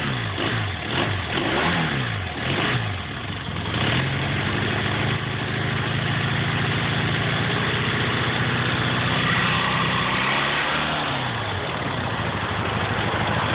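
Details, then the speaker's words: Motorcycle after valve adjustment, warmed up, started with choke: engine catches, settles to an even idle, revs up and falls back cleanly; the earlier rattle is gone and it sounds normal. "everything sounds pretty normal over here that rattle is definitely gone and I'm pretty sure it's on this side as well"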